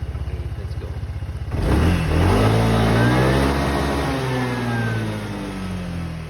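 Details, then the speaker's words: Kymco X-Town 300 scooter after new fuel filter and spark plugs plus throttle body and injector cleaning (before: hard starting, dying at 6,000 rpm). One-click start, even idle, then a smooth strong rev with no choking: normal revving. "So ayan okay na siya ngayon. Kasi so far dati pag ano, hindi talaga siya umi-start."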